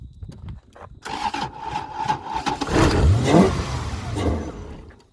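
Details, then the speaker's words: Toyota 1UZ-FE V8 (UCF20 Gen2) swapped into a BMW E36 coupe, just trucked in from Auckland. The starter cranks it evenly at about 3.5 pulses/s with a puff of smoke, but it never catches. "soon as it got here we did a very very quick assessment of it we cranked it over see if it would go"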